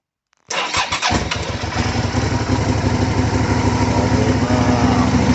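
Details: 2004 Suzuki SV 650 (SVS), first start after fuel pump replacement: a short crank, then it fires straight away and settles into an even twin-cylinder idle with no stumbling. It starts and runs fine.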